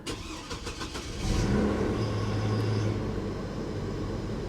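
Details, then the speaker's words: Salvage-auction truck with Vortec 3500 and Z71 package, jump-started: brief cranking, catches cleanly and settles into smooth, even, quiet idle with no knocks or ticks; no warning lights. "wow actually runs great it's quiet there's not even any warning lights on not even an airbag light guys nothing"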